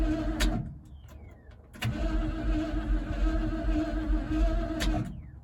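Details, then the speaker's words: 1976 Ford F-150 that sat in a swamp since 2000: starter churns evenly for several seconds but it never catches; still no spark, cause unknown. "I will do everything I can to get this truck running. All we really need is spark. I don't know why we're not getting spark."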